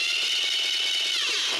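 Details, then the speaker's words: Starter on a demonstration rig with elongated mounting holes, pinion set too far from the flywheel ring gear: high-pitched whirring grind while cranking, then winds down. Fix is removing shims to bring it closer to the flywheel. "What I have is a starter here with elongated holes, and this starter is actually too far away from the flywheel, and you can hear it."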